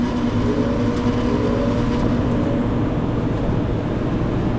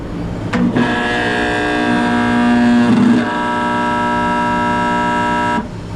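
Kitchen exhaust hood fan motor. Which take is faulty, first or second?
second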